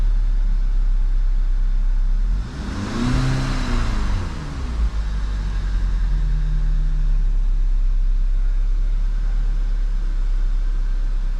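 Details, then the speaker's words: 2011 VW GTI idling after swapping coils and plugs between cylinders 1 and 4; steady, even low rumble with no stumbles, no misfires now, possibly intermittent fault. "I have no misfires right now."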